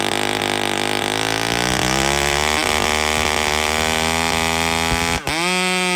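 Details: Chainsaw (a 395) with 3/8 chain cutting a cedar log screams at high steady revs under a push with little bogging or bite; chain rakers set too high, so it barely cuts.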